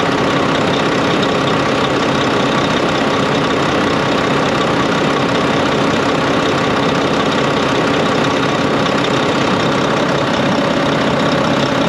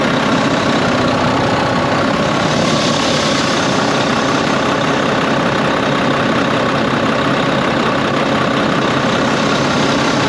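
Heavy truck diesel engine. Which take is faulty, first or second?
second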